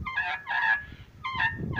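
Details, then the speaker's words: Daewoo Racer radiator fan motor, removed and jammed, turned by hand gives a high honking squeak about twice a second; it also makes noise when powered, as if something inside is rubbing. "ये देखें दोस्तों, अभी आप सुन लीजिएगा, मैं इसको चलाता हूँ हाथ से तो ये आवाज़ देगा।"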